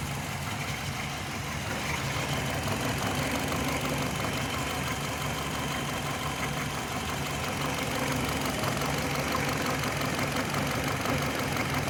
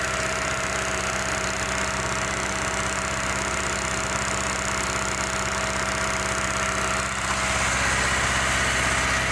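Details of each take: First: 2005 Hyundai Matrix with code P0302 (cylinder 2 misfire) and an intermittent check-engine light: uneven, stumbling idle. Plugs in cylinders 2 and 4 were white, 1 and 3 black. Fixed by injection corrections. Cylinder misfire, rough idle. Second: 2005 Hyundai Matrix with P0302 cylinder-two misfire from low compression (ring problem): steady even idle, constant hum, no stumble or skip; running smoothly.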